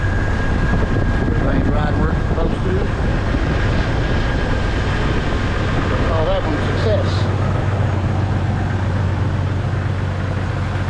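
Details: 1999 Jeep Wrangler TJ after a new serpentine belt and pulleys were installed, replacing a dry old pulley bearing: engine settles into a smooth low drone with no squeal or bearing whine from the belt or pulleys. Normal belt drive.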